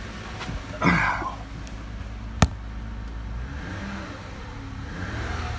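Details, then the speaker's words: 2008 Lexus ES 350 with bad transmission, just started after sitting almost 2 years on old fuel: steady idle with one quick gentle throttle blip rising and settling cleanly, kept low while oil circulates; no knock or stumble. "Oh, yeah. Don't want to rev her up too high. Let that oil get good and circulating."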